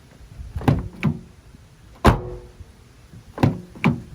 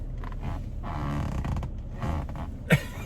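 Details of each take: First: 2020 Toyota Tacoma doors, including rear doors, shut one after another: clean dull thunks with no buzz or rattle afterward; solid door close. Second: 2020 Toyota Tacoma with 10-way power adjustable seat: low rubbing groans and creaks as the seat bolster is pushed sideways against the center console; seat creak from contact with console.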